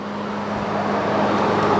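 Steady, even engine hum with a constant low tone and no screech or chirp from the belt side; runs smooth and healthy.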